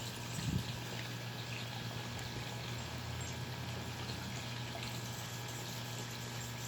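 A steady low electric buzz drones under trickling water with no change in pitch; the aerator pump motor is running normally.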